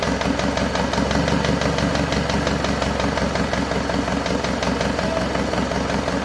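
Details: Isuzu Panther 2.5 diesel after overhaul with upgraded turbo and intercooler, first start after sitting nearly two weeks assembled, warming up: rough idle with light ticking about three per second; mechanic suspects valve guides not yet fully settled; oil pressure normal.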